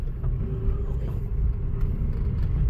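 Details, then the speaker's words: Chevrolet Aveo XLT after rear wheel bearing replacement, road test: only an even low road rumble, no hum or growl rising with speed; rear noise and drone gone, bearing now quiet and normal. "Paps, natapos na nga namin yung pagkabit ng wheel bearing itong Chevy Aveo. Yan, wala nang ingay sa likod, wala na yung ugong."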